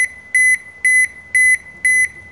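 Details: Toshiba washing machine showing error E2-3: high steady beeps about half a second long, repeating twice a second on a quiet background. Door-lock error alarm; the door lock is being checked.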